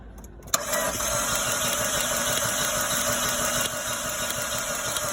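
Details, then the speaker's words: 2012 Fiat 500 no-start, injector pulse and spark confirmed, MAP sensor code, stiff throttle body: even cranking about three beats a second for five seconds without firing; mechanic suspects low compression or flooding, unconfirmed. "okay all right it's got spark and um it sounds like there's there's low compression so so I'm going to pull the spark plug see what it is maybe maybe it is low compression maybe it's just flooded"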